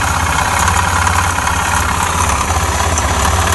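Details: Suzuki Djebel 250 single-cylinder at idle: dull, steady low knocking every revolution over the exhaust beat; made noises before stalling while riding and failing to restart; engine knock, cause unknown, teardown starting with valve cover.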